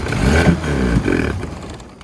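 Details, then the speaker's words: Mariner 30hp outboard, long unused, with the air filter off and brake cleaner sprayed through the carb. It catches for about a second in a rough, uneven burst, then dies; it won't run without the air filter. "yes so hopefully you would have heard chris there probably not actually it won't run without the air filter on it"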